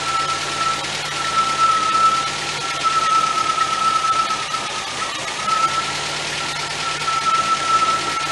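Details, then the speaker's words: 1977 MGB after budget rebuild, coil fed 12 volts from fuse box, carburetor still needing attention, wiring faulty: even idle with a steady slightly hissy note, no knocks or misses; runs fairly decent. "Like I say, other than the wiring issue, the engine works good, runs good, sounds good."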